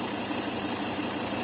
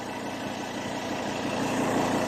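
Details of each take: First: Ford Ranger 3.2 diesel pickup idling: steady light knock about six per second, mistaken for engine or intake leak; belt wetted and intake/turbo leaks fixed with no change, noise vanishes when pressing; loose shock absorber top nut. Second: Ford Ranger 3.2 diesel at idle after tightening a nut on top that was causing an odd noise: steady, even idle with the noise gone.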